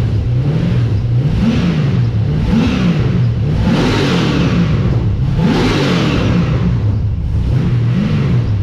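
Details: First start of an LS1 V8 in an XG ute, with a better carby and a custom full exhaust without a further muffler; deep mellow burble at idle with sharp throttle blips climbing and settling cleanly, quiet down low, loud up top; normal idle and revving.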